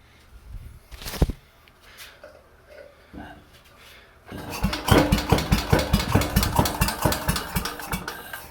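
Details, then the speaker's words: 69-year-old Briggs & Stratton 23A-FB, rope-started after warming: catches and thuds unevenly about two beats a second, labouring to idle; owner suspects pre-ignition knocking, maybe needs 93 octane or booster, unconfirmed; knocking rough idle. "see what i mean that thunking to me sounds like it it igniting before the pistons reach the top of its travel and it's just slowing itself down"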